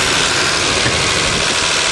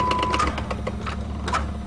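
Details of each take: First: Old Dodge diesel van, cold start at 20 °C after sitting three months, primed and hot-wired: starts readily, then steady even idle with no knocks or misses under heavy hiss; normal idle. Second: Worn Dodge van, started at about 20 °C after sitting three months: light, uneven ticking clicks over a low engine drone. The fan blade is hitting wires.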